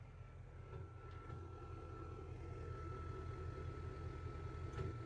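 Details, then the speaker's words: Nissan Titan diesel with CP4 pump idling with low rumble and irregular bump, intermittent misfire with smoke, low fuel pressure light and check engine light. "Yeah, it's misfired. And when it misfires, it smokes too."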